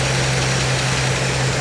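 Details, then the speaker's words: 1952 Chevy Styleline Deluxe with Rochester carb, just started after carb cleaning, no choke: short smooth, even idle with a steady low hum, no stumble or miss; runs quite well, normal idle. "choke would help runs quite well when it runs"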